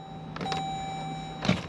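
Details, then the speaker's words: 2014 Jeep Grand Cherokee 5.7 Hemi V8, 93,633 miles, towed in no-crank no-start: two short clicks, no cranking; battery checked next as suspected cause. "but I don't hear any cranking can we hear it down here yep yeah I hear some clicking no cranking okay weird"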